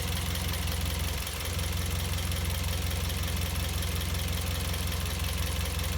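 A sharp, repeating chirp, about three a second, cuts through a steady idle; something in the engine bay chirps in time with the engine.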